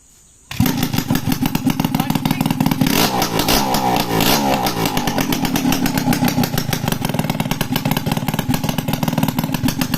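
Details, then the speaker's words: Restored Suzuki X4 motorcycle engine on the bench before chassis fitting, slightly cold, open elbow exhaust pipe: fires at once, loud crisp even putter, noisy only from the elbow exhaust; normal idle. "Medyo maingay lang kasi naka-elbow, yun o. Naka-elbow. Kaya medyo maingay mga kamekaniko."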